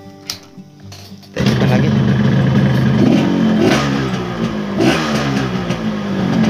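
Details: Yamaha RX-King two-stroke with a newly bought ignition switch, rewired AC-ignition contact circuit and an added hand kill switch: quiet, then it fires into a crisp buzz with a few clean blips, running normally.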